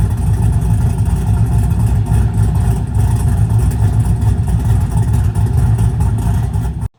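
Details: 6.0 V8 Chevrolet Silverado just rebuilt with a new Texas Speed cam kit after failing lifters, exhaust installed: deep, choppy idle with an uneven cam lope, no ticking or knocking; normal, healthy cammed idle.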